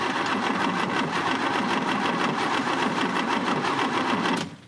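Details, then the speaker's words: 1966 Oldsmobile F85 Cutlass not run in about 10 years, after a makeshift carb rebuild, spark confirmed, fed from a temporary tank: fast, steady starter churn with no firing. It cranks but won't start. "Nothing. Let's bring it again. Something doesn't sound good."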